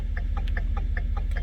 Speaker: I'm going to turn the turn signal on, which is normal right now. Turn it to park lights, and it goes to hyperflash.